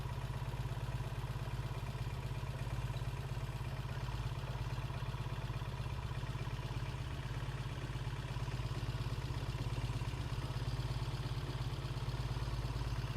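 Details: 1968 Triumph T100C twin idling after a cold start: quiet, even patter at steady idle with no knocks or misses; healthy, with good oil flow, no oil leaks and charging okay.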